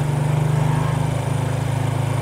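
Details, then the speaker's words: Four-stroke single-cylinder motorcycle that stayed fuel-thirsty weeks after a carburetor service, after valve clearance readjusted and air screw reset: even idle at about eighteen steady pulses a second, no knocks or misses; normal idle, back to normal. "Nah sudah selesai ini dipastikan sudah kembali normal"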